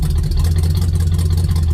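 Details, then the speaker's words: 1967 Chevelle V8, budget-rebuilt engine with new rings, no choke so kept running: deep idle with a slightly uneven, loping beat and dips in exhaust pulse; owner suspects a burnt valve, unconfirmed. "When it does it, well, I mean, it sounds exactly like a valve. It's you'd have to hear one to know what I'm talking about. But being around metros all my life, you kind of get used to what a burnt valve sounds like, and that's kind of what it sounds like."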